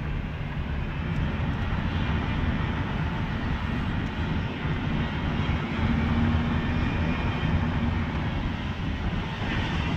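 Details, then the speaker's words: 2011 Toyota Sienna AWD while driving: a faint steady whine under road rumble that rises with acceleration like a plane taking off and disappears when stopped. A mechanic with a stethoscope traced it to the rear differential; a failing viscous coupler is suspected. "so it's like an airplane was about ready to take off the more you accelerate the the worst of noise gets"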